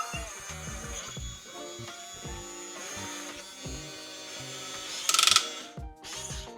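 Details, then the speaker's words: RC hydraulic excavator: brief burst of rapid sharp clicks over background music when too much weight is put on a component, not from overextending the boom; hydraulic overload clicking. "Okay, so the clicking sound is not when you overextend the boom. It is when you uh put too much weight onto any of the components."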